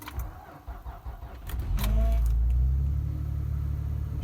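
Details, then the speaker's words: 12-year-old 2007 truck, just over 100,000 miles, sat overnight at about -22°C, low on fuel: brief crank then catches at once, settling to a steady even idle; healthy cold start. "like that boys little low on fuel and she fired right up"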